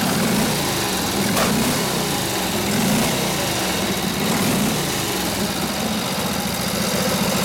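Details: Rebuilt Harley 45ci WL flathead V-twin bobber with mixed 1920s-40s parts and points just set, runs near full throttle against the drum brake; a steady, lumpy beat holds under load without stumbling, pulling healthily.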